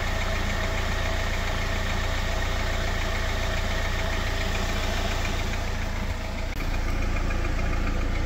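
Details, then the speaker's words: Jeep Wrangler JL 2.0 engine at cold idle, oil level checked at exactly half: deep, fairly regular tapping about three to four a second over the engine drone; knock disappears once fully warmed after about 15 km of driving. "И сейчас этого звука нет. Вот сейчас мотор работает идеально. То есть на холодную он действительно постукивает."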